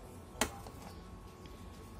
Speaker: Hai akal kita starter dia masih cetakcetak nah tapi dari dinamo staternya ia enggak mau ngangkat sama sekali